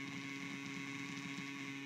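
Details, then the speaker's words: Rebuilt MoPar 802 radio from a 1948 Plymouth, original vibrator, idling at 6.3 volts: steady buzzing hash with hum underneath persists with volume fully down, from the worn vibrator; buffer capacitor may also be bad. "she's running that noise is the is the hash from the vibrator the volume all the way down you still get that noise that's just the vibrator is not not the best condition here"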